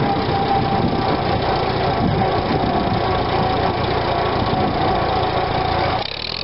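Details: 1945 Farmall BN after Zenith carburetor cleaning of blockage, warm after a long ride, throttle test: steady, even idle rumble, drop at the end; normal idle and throttle response, repair successful.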